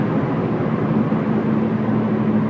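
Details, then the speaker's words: Circa 2007 Subaru Impreza hatch, 5-speed, not high mileage, at highway cruising speed: heavy low pulsing drone like a propeller, buh-buh-buh, felt through the whole car; tires ruled out, leaning toward a driveshaft U-joint, unconfirmed. "I think I hear more in the back besides that buzzing noise and it's not a consistent hum it's a it's like a it's like a propeller or helicopter buh-buh-buh-buh-buh"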